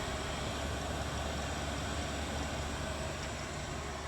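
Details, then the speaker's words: Chinese diesel heater on bench test, running full blast outside after 52 minutes: even, steady low hum with soft fan whoosh, no knocks or rattles; humming along normally. "well guys so far this thing just humming right along it's been for 52 minutes now"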